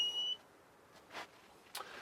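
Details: Solar shed 240 V inverter on battery: one short high-pitched beep at power-off, then silence; normal.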